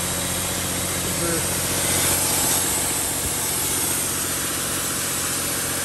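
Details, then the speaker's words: 2007/2008 Dodge Sprinter diesel at raised idle during a forced DPF regeneration via Star Diagnostic (soot 41 g). A loud, steady hiss comes from underneath, with heavy smoke near the intake manifold. Exhaust leak suspected, not confirmed. "I can definitely hear hissing at the bottom. Oh yeah, I can not only hear it. That's where the leak is. It's really bad."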